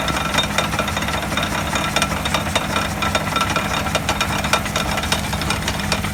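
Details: Wheel hub heard through a stethoscope: coarse gritty rumble with uneven knocking and clicks; worn wheel hub bearing noise.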